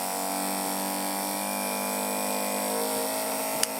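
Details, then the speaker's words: Small DC motor driving an identical DC machine as a generator through cable insulation coupling and lighting an LED, speed being increased: smooth steady high electric whine with even tones, no rattle or scrape; running normally. "If I further increase the speed, we'll no longer be able to see the insulation rotating, but you'll be able to hear the motor spinning up faster and faster and eventually driving the LED brighter and brighter."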